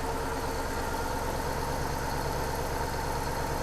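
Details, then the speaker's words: Toyota 3UZ V8 swapped into a Subaru BRZ on a Haltech ECU, at idle: an uneven, lumpy pulse with the engine visibly shaking, from three misfiring cylinders (two on one bank, one on the other), plus a bearing squeal. "It is like running like dog You can see the motor shaking and"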